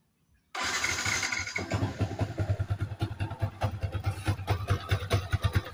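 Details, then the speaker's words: Yamaha Vixion NVL: engine catches and settles into an uneven pulsing clatter about two beats a second, a "kemrok" noise when the clutch lever is pulled; clutch cover to be opened, mechanic predicts something loose inside, not confirmed. "ketika di kopling timbul suara kemrock akan kita eksekusi"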